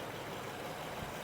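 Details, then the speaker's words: Honda Pilot nearing half a million miles, bought cheap at auction with check engine light: quiet, smooth, steady idle hum with no miss, knock, smoke or steam; engine running healthy, belt new. "So this is running. Smooth as could be. Listen to that. Hardly any noise. This thing is so quiet."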